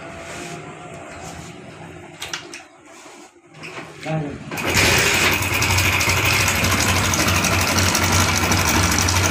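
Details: Hero Honda Passion motorcycle engine running with a fast, dry, sewing-machine-like clatter from a slack timing chain.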